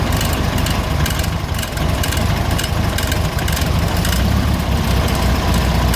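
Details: 1970 first-series VW Fusca (Beetle) air-cooled flat-four idling with a loose, uneven clatter over low rumble; abnormal noise, source unknown.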